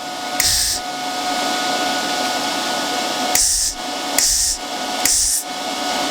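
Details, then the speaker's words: Titanium Unlimited 200 MIG welder, Harbor Freight, during gas-flow test with argon: steady, fairly loud cooling-fan whir with faint tones and short hiss bursts; normal, just loud. "hopefully you can hear the titanium can be a little bit on the loud side with the fam"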